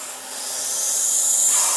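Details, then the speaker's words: Oil-lubricated Apollo dental air compressor (single-head Copeland): purge air bleeding down to 0 with 100 PSI in the tank; smooth high-pitched air hiss that swells then eases, a normal purge bleed-down. "Alright, so that's our Purge air. And this guy is going to just bleed down to 0, and then we've got our 100 PSI."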